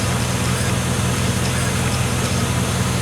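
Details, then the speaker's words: 2001 Chevy Silverado 5.3 Vortec V8 running after a Flowmaster Delta Force cold air intake replaced the restrictive old intake: steady, even rumble with no knocks, misses or whine. Running fine. "super restricted but it's super nice super easy seems to be running fine"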